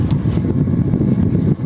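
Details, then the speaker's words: Diesel water pump engine in a rice field, with a broken-off exhaust and seeping oil: a loud, strange, deep, uneven rumble heard at the water discharge pipe, even though the diesel is said to be off. The cause is unknown. "Dari sini kok ada suara yang aneh. Suaranya masih terdengar. sangat banter dengan pipa sini."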